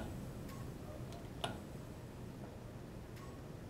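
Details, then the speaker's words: Hamilton G5 mechanical ventilator pre-use check, flow sensor reversed for calibration: few soft irregular ticks and one sharper click during flow sensor calibration test; normal. "calibrations and process flow check the sensor test is still being done it shows us kind of with this bar how far it's progressed into that protect a particular test keeps on going makes it sounds like it's doing right now"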